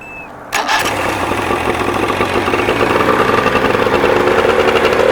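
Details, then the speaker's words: Johnson 50 outboard, carbs not yet rebuilt, cable replaced: fires at once into buzzy, slightly uneven idle, only idling with timing slightly advanced; carburetors starving it for fuel at low speed. "only thing that concerns us it sounds like it's running but we had already anticipated building the carburetors but this should be lined up with that right there and we're having to advance the timing to make it idle so we've got a carburetor issue still"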